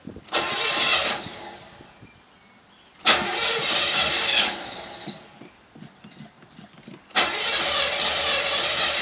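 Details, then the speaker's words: 1985 Chevy Caprice Classic, 305 V8 with 4-barrel carb, about 88,000 miles, cold start after pumping the pedal: a few cranks, then it catches and settles into a steady idle. Wobbling noise from the front, runs good. "That noise is just everything wobbling around there. Yeah, it's just the front right here. But yeah, it runs good."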